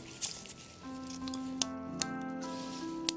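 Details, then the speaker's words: Black Forest clock ratchet on the great wheel after chains cleaned of rust and reinserted: sharp, irregular single clicks as chain is drawn through, ratchet catches cleanly and doesn't slip back; normal ratchet clicking. "here we go you can hear the ratchet clicking and it doesn't go back the other way right"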